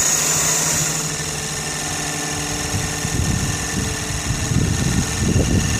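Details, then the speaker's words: Sirius two-cylinder steam engine driving an alternator from a water-tube boiler, output 20 volts at about 3 amps into a battery and the field; steady rhythmic chuffing, even and unlabored, running healthy. "That took it up to 20 volts and about 3 amps. The only power being drawn is what's going into this battery and the field itself."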